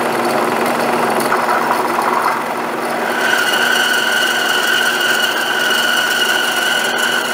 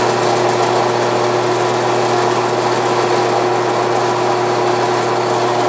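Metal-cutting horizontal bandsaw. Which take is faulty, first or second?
first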